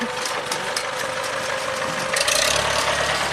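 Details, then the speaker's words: 1975 International Harvester 574 four-cylinder tractor after repair for stalling under load following a carburettor rebuild: steady, even idle about four beats a second, no stumbling or hunting; normal idle. "tractor sounds like new big pile of horse manure"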